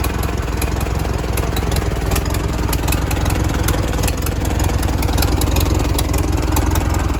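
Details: 1942 Farmall Model H petrol/paraffin tractor, hand-crank start, first run after sitting many years: steady, even, unlabored low chuffing at about three and a half pulses a second; running fine.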